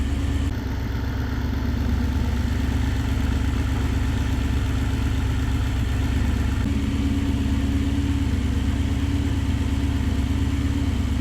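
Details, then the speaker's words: Supercharged Nissan VK56 V8 in a Nissan Gloria on a Link ECU, not yet fully warmed up, with master fuel cut from 27 to 17: deep, slightly lumpy idle with an uneven pulse. Fuel pressure is too low and needs at least 3 bar. "Oh, we need some more fuel. We need to crank that fuel pressure up. We need at least 3 bar."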